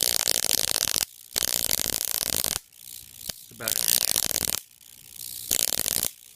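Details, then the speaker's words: Ion chair DIY 20–30 kV DC supply (120 V oil-burner ignition transformer, 10 kV 23 mA, into a voltage doubler): harsh crackling squeals in bursts when the positive side is shorted to ground, arcing at the plate, needs better insulation. "When I short the positive side to ground, it's discharging up here. Need to insulate that better."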